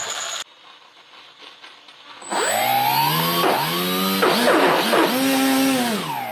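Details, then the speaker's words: ZOHD Dart XL (early version) stock motor on bench after ten-minute maiden flight: whining tone rising and falling with throttle, rough and gritty, lost much power in flight. "it's just um it was making noises losing a lot of power so i landed it pretty quick after about 10 minutes"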